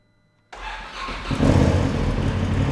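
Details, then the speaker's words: Polaris RZR that wouldn't start, after brake pressure sensor circuit trail fix: brief crank catches cleanly, settling into steady, even idle with firm low rumble. Normal start and idle. "completed the circuit now it should start just fine"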